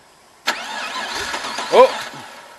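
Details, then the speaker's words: LS1 turbo one-tonner, first start after sitting dormant for months on E85 with new fuel filter and weak-seeming battery: brief slow cranking, then a rough, uneven catch into a shaky idle, "a bit grumpy"; hard starting, cause suspected, not confirmed. "yeah try it again come on baby oh nearly a bit grumpy"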